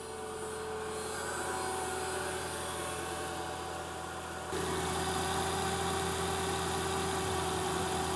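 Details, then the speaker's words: Mercedes ML500 W163, M113 engine, 273,000 miles, after replacing the auxiliary water pump: steady, even, smooth low-hum idle with no knocks, misses or squeals. Normal idle. "273,000 miles and running strong. I love this car."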